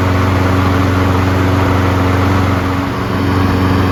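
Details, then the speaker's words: Single-cylinder lawnmower after a carburetor clean, run 3 to 5 minutes on fresh fuel: a steady, even drone at constant speed with no stumbling or surging. It has smoothed itself out and runs smooth. "As you can see, running it for 3 to 5 minutes, smooth itself out because the fresh fuel is flowing through the circuits."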